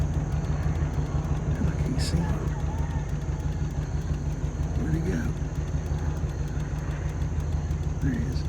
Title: The exhaust leak in the background says it all